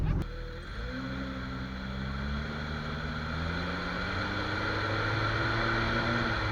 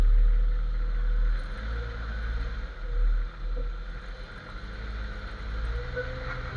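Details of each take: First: Jeep XJ after dry lube was sprayed on the cracked front axle shaft u-joint, which was identified as the noise source. Pulling away, the engine note rises smoothly over road hum with no clicks, clunks or squeaks from the front end. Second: Jeep XJ front-end noise while driving. A faint rhythmic rubbery squeak under road rumble keeps pace with wheel speed. Owner suspects the front axle shaft u-joint but isn't sure and also considered the steering stabilizer.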